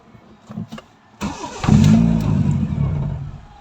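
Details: Toyota Corolla with 2E engine: catches and runs a couple of seconds, then sags and dies with no idle; faulty idle solenoid, replacement part bought.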